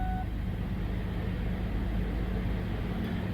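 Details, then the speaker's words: 1990s–2000s Ford Ranger/Mazda B-series after replacement ECM/PCM and key programming that fixed the no-start: after a short chime, steady even low rumble, no misses, knocks or hunting. Normal idle. "now she's purring like a kitten"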